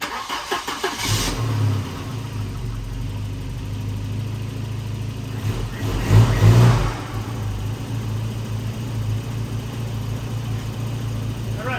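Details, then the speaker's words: 1993 Volvo 245 Turbo wagon, B230F engine, after teardown repairing an external head gasket leak, coolant topped with distilled water: catches quickly with a short rev, then a steady even idle, no misfire or knock; normal start and idle, far better than before. "really good now way better than used to"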